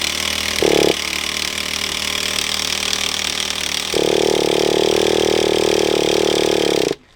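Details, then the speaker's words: Traxxas T-Maxx 2.5 nitro RC truck after long storage: catches for a short burst, dies, then runs roughly with a buzz for three seconds before cutting out; partly blocked carburetor, owner also doubts the glow plug. "we definitely got a bit of a blockage but we're getting through it because it's trying"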